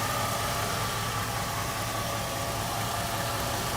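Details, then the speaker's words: 1949 Cadillac V8, just started from cold, oil pressure mid-gauge, charging strongly, hood open: low, even, steady burble with no knocks or misses; smooth, healthy idle. "Look how smooth that engine is. It's so smooth."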